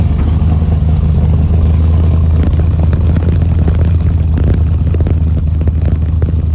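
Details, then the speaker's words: LS engine in a '55 Chevy truck just after first-ever start on a two-wire harness: deep, even idle with steady low rumble, no knocks or misses, idle settling down smoothly; running normally. "Idle's already coming down. I'm loving it. Hell yeah."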